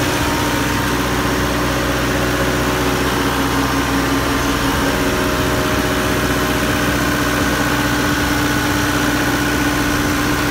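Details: Diesel generator idling with a steady drone, constant hum and even, unchanging beat; runs smoothly after a transfer panel (QTA) management fault that kept it from starting while the engine itself was fine.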